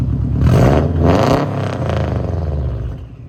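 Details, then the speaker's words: 2007 Subaru Impreza WRX (titled STI) turbo boxer with aftermarket exhaust, engine running and revved in blips then settling smoothly; no rod knock, no misfire, quiet and well balanced; normal running. "now i'll show you the engine while it's running so you can hear there's no rod knock or crazy sounds super quiet very well balanced engine no misfiring or whatnot"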